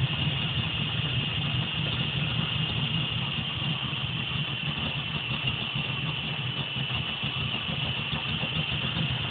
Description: Timing light with RPM and a vacuum gauge while 1970 Camaro Idles with a possible vacuum leak